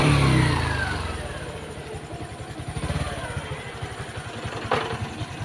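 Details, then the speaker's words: Honda XRM 125 Fi single-cylinder motorcycle after overhaul for engine knock, started in neutral with ignition wired direct (no key yet); it revs and settles to an even, steady beat with no knocking, and the engine sounds healthy. "Tingnan nyo yung makina o. Hindi na masama."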